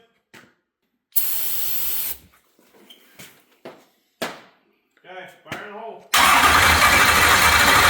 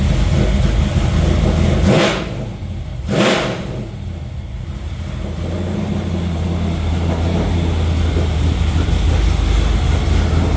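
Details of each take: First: New stroker LS V8, first start after crank sensor wiring: the starter churns in short bursts, then the engine catches with a loud, ragged roar; a misfire from a dead cylinder, because a pushrod is off its lifter. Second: New stroker LS V8 after the intake-rocker fault at the lifter is fixed and the original block crank sensor is restored: a steady, even idle rumble and two quick clean revs that fall back smoothly, running normally.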